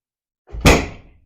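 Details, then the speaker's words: BSA B50 motorcycle first start attempt after restoration, gas on, ignition on, carburettor tickled: one sharp loud bang dying in half a second with no running after; engine backfired, back to its old tricks. "good backfire back to its old tricks I tried I heard a pop it's trying"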